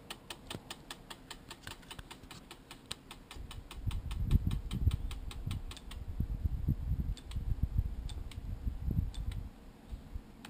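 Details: 10-20 Sigma lens clicking noise: quiet, rapid, dry, irregular sharp ticks at roughly two to three per second over a low muffled rumble; cause unknown, owner seeking a solution.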